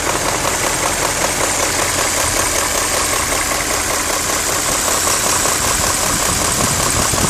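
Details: BMW E39 M5 at idle: a light, fast ticking knock rides on top of the engine note; VANOS is possibly suspected, cause not confirmed.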